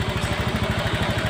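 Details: Honda Beat Eco injected scooter after repair of a chafed TPS sensor wire (TPS voltage now 0.48 V), previously stalling with laggy throttle; idles with a quick, even putter, no misses or rattles: normal.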